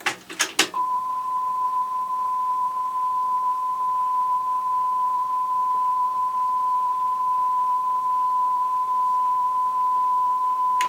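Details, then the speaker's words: Sony TC-WR665 double cassette deck playing a recorded 1 kHz tone in reverse direction after its pinch rollers were swapped: a slight pitch waver about once a second; wow traced to a bulged pinch roller. "okay I I can hear that but once a second it's got a slight speed variation and anyway got that DEC out have a look at the controllers sure enough one of them had a bulge on it"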